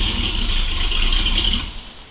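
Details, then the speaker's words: 1957 Chevy V8 after rewiring the ignition switch, which previously needed several turns of cranking for 2.5 years; now fires on barely one starter revolution and settles into a steady rumble, ignition fixed. "Like, that's barely one revolution with the starter cranking the engine over. It just fires right up."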